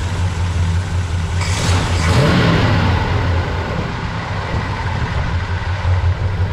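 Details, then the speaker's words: V8 late-model roller block in an 1982 Chevy Scottsdale, with an electric fuel pump: fires up quickly, blips once and settles into a steady, even low rumble. Starts easily and runs healthy. "start it up real easy that's good"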